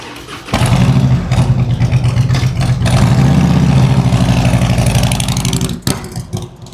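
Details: 2003 Harley-Davidson Road King 100th Anniversary with new headers, fishtail exhaust, Andrews 26A cam and ThunderMax on a road test: the V-twin fires up and revs with a deep loping rumble, pulls smoothly and fades off cleanly; runs healthy and strong.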